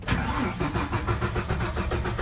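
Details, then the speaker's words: Ford F-150 300 straight six towed in with no-start, new distributor, plugs and wires: steady even cranking that never fires; no spark from failed ignition control module, suspected overheated from missing screw to heat sink. "they're complaining about a no-start so before i do anything let's see if it does not start"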